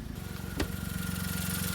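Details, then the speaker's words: 2010 VW Polo 1.2 petrol, started in neutral right after its intermittently faulty starter motor was replaced. Steady, even low idle with a regular firing pulse, no knocks, misses or grinding. Finding: normal idle. "purring away like a kitten listen to that beauty and there's that starter motor tucked away down there nice and new and a good boss unit as well"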